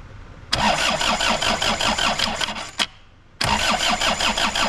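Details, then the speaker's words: Suzuki Samurai with Isuzu diesel, first start, lift pump heard running, possible air in lines, battery weakening: long bursts of slow uneven cranking about three turns per second, pause, more cranking, never fires; extended cranking, no start. "I think we're going to spend a couple minutes and just crank this thing over and see if we can get it to light off at all"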